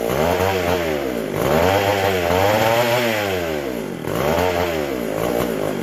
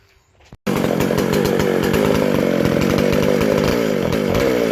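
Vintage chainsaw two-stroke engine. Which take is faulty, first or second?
first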